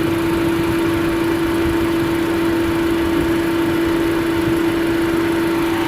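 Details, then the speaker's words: 2005 Chevrolet Astra overheating, fans not switching on until 221°F: only one cooling fan runs at second speed with steady rushing hum; the other barely turns. Fixed by replacing a fan relay. "de estar funcionando el otro ventilador pero este gira muy muy despacio casi no se nota"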